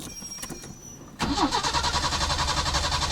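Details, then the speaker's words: Peugeot 505 V6 manual, dead car being resurrected, MAF/fuel pump relay being ruled out: quiet, then fast even starter whir with rhythmic cranking pulses that never catches; cranks but no start. "Ooh, you can see the current speed is very fast, but nothing."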